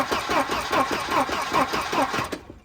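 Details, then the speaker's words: Wrecked Volvo 240 with previously stuck B230 engine, spark plugs in, starting fluid sprayed, good compression: steady cranking about 2.5 beats per second, no firing; cranks but won't start, no spark suspected (questionable coil later found overheating). "Nothing. Might not be enough to get it to fire, or we might straight up not have spark."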